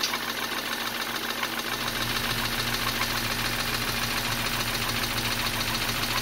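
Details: 2013 BMW 328i F30, N20 twin-turbo engine, 122k miles, reassembled after blown head gasket diagnosis with fresh oil and filter, warming up at idle: fast even light ticking about two per second; problem suspected in cylinder head, unconfirmed.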